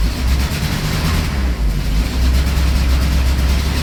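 Deep, lumpy cold idle that stumbles and pulses unevenly, like one cylinder keeps dropping out; a misfire, probably from a cold carburetor.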